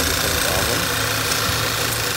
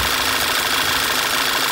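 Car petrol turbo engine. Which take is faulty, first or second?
first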